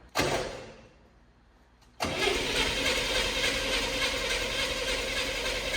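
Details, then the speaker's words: Engine started on the old spark plugs with the choke on, after a brief crank: a loud, harsh metallic rattle over the running note; owner hopes it is the fan, not the valve train, cause unconfirmed. "oh she wants to fire oh yes did you see that sounds rattling Fierce I think it's the fan I hope it's a fan not the valve train or something more serious"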